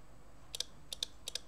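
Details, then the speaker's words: Old Soviet mechanical impulse counter making crisp light ticks, one per 12-volt pulse as the needle steps one count; stepping cleanly as it should. "see that every time a 12 volt impulse that needle turns one so it's counting how many impulses are there"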